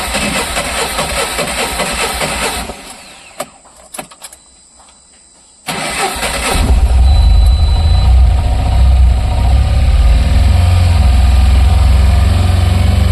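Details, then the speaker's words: Tata Ace BS6 petrol, first start in the morning: engine runs, goes quiet with a few clicks and stops, then cranks and catches into steady idle; starts some tries and not others. Cause unconfirmed. "मतलब ये कभी start होती है कभी नहीं होती।"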